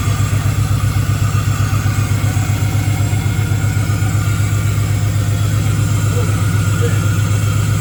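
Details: Camaro with a 6.0 V8 swap, first start: a loud, lumpy idle with a heavy regular thump and uneven popping, as two cylinders misfire from a miswired coil harness while the tune was being worked out.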